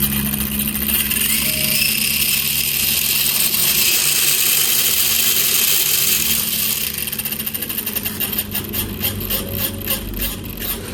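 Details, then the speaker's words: SCX10 clone Rubicon 1:10 RC crawler (313 mm wheelbase) under throttle: shrill, gritty electric drivetrain whir turning into a rough pulsing about four times a second, from a wobbling spur gear in the gearbox meshing loose and tight. "Ini lumayan gearboxnya itu lumayan goyang-goyang. Jadi suaranya berisik. Nih sepurnya goyang-goyang, Guys."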